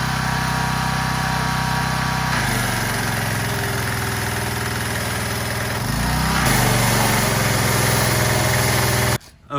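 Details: Troy-Bilt pressure washer, Briggs & Stratton engine, after clearing the gummed carburetor's main jet with compressed air: steady, even single-cylinder run at constant speed, no misses or surging; sounds healthy.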